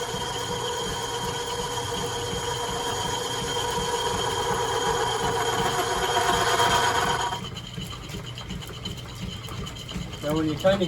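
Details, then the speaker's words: Lathe on a lineshaft boring a cast iron pulley for an 1870s thickness planer: even, rhythmic cutting chatter with a ringing tone drops away mid-pass as the tool crosses a hollow inside the casting, perhaps for a set screw. "there's a bit of a hollow on the inside of the casting I'm not sure why that is maybe it was for a set screw but you basically have surface surface and then a hollow so that's why you hear it stop in the middle"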